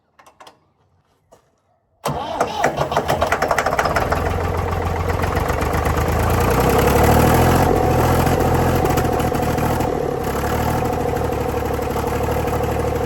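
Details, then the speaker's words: Previously seized Ford 4000 diesel tractor on starting fluid: after two seconds of cranking it fires and runs unevenly with a steady knock, about 210 per minute. It won't sustain; owner blames throttle and air, not yet worried about the knock, and suspects a diesel leak. "And I think I might have another problem. So, I'm not hugely worried about the knocky knocky noise yet."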